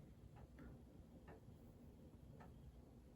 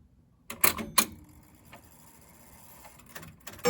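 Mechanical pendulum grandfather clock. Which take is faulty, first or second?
first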